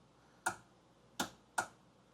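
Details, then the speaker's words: Kawasaki 1100 STX jet ski, battery about 12.39 V, plugs out: four sharp, unevenly spaced solenoid clicks with no cranking; solenoid passes power, so the starter motor itself is failing and was replaced. "so electricity is going from the battery to the solenoid. We hear the solenoid click and power is going through and that is reaching the battery or the starter."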